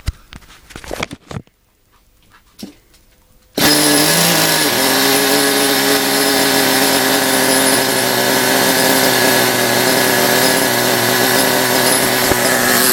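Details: Small nitro RC car engine, primed with nitro fuel, glow starter left on during warm-up: catches and settles into high, raspy, steady buzz without stumbles; running cleanly.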